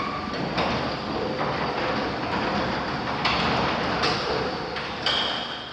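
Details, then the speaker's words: Overhead garage door opener during home inspection, closing: continuous rumbling drive with periodic rattling bangs as panels roll through the track; door very loud, possibly needs breaking in. "I know there's a bunch of noise over here, but this door is very loud."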